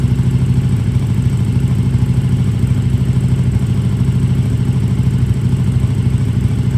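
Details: KTM RC8R with a swapped 2020+ third-gen 1290 Super Duke engine and electronics, first start after the swap: steady, even low thumping at idle, about two and a half pulses a second, no misses or knocks; normal idle.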